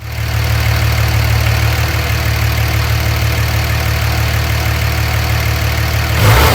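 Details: Dodge Ram 2500 with third-gen 5.9 24V Cummins diesel, automatic, before removing the turbo silencer ring: deep steady diesel clatter at idle, then a quick clean rise in revs; engine runs healthy and smooth.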